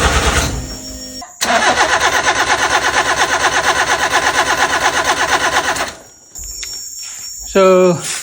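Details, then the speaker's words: Nissan Sentra N13, long-sitting restoration project car, new battery fitted: steady rhythmic cranking at about three beats a second for several seconds, engine never catches. Crank, no start; owner suspects no fuel, cause unconfirmed. "Aku dah tukar bateri ah. Tapi sebab lama sangat tak hidup kan. Mungkin tak ada minyak ke aku tak tahu kenapa."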